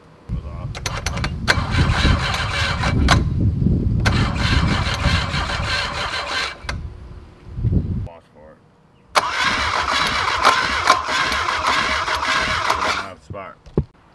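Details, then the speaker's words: Volvo boat engine under restoration, first start attempts: two long bursts of fast even cranking, about three turns a second, no firing; no spark, old crusty ignition coil suspected. "jake's testing the coil because we've had some ignition problems he seems puzzled"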